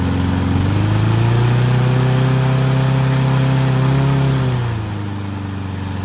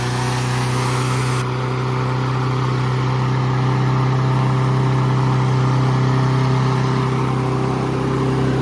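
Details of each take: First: Troy-Bilt mower with Honda engine, after carburetor cleaning and draining water-contaminated fuel (fresh gas), previously would not start: catches and holds a smooth high idle several seconds, then settles lower and stays even; running cleanly. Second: Troy-Bilt mower with Honda engine, first run after carburetor cleaning and draining water-contaminated fuel, previously would not start: runs fast and steady with a constant high drone, never settling; idle speed too high, needs adjusting.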